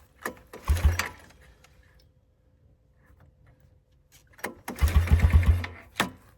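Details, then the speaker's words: Old four-wheeler (ATV) with a carburetor, sitting for years; oil checked present. Two pulls on the starter bring quick bursts of pops that die straight away; trying to fire but won't keep running. "Did you hear that? It was trying to."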